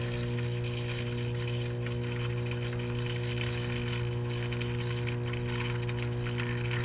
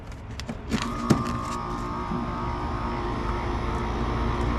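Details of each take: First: Taco 009 circulator pump on a Central Boiler CL 6048 outdoor wood boiler, about six years old, not circulating water: constant heavy low hum, far louder than usual, pump extremely hot to the touch; failing pump cartridge. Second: Central Boiler CL 6048 outdoor wood boiler after replacing the failed Taco 009 circulator pump cartridge, water temperature 179: a few early clicks, then a steady, even hum with a clean mid tone; pump runs normally, no leaks.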